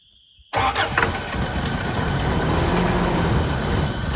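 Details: 1981 Toyota 4x4 pickup kept running on starter spray, started via multi-tool without key, after flooding with gas: starter catches and engine fires into a rough, uneven run that won't stay running.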